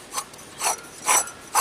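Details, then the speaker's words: 1999 Dodge Dakota 3.9L V6 Magnum, belt removed, idler pulley spun by hand: four rough, raspy grinding bursts; the pulley sometimes bound up completely and stalled the engine; idler pulley bearing failure, replaced with a Dayco 89048. "and every once in a while it would just bind up all together and it killed the engine here"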